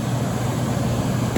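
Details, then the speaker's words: Late-1980s Emerson Quiet Kool 10,000 BTU air conditioner, coils cleaned, fan only on low with compressor off: steady even low rumble with soft airy rush, no knocks or rattles; normal fan-only operation. "we're gonna start off on fan only here's low fan we're quiet"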